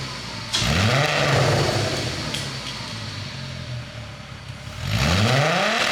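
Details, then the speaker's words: 2002.5 VW Golf/GTI Mk V 6-speed VR6, front clip cut off and running on a drip fuel feed outside the car as a donor for a mid-engine RWD 1991 Civic: smooth idle with two quick clean blips, crisp response, no knocks or misses; healthy engine. "Woo. She's idling down good. It's not unhappy over there at all."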